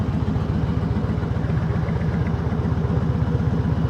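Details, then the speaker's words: 2005 Harley-Davidson Heritage Classic, carbureted, with carburetor-related performance issues, on a test ride after a clutch fix: loping V-twin idle, unevenly spaced and stumbling; the carburetor sounds not happy, rough idle suspected from carburetion. "And we're going to test out the clutch because that's what we just fixed. Along with the idle, which it sounds like the carburetor is not super happy."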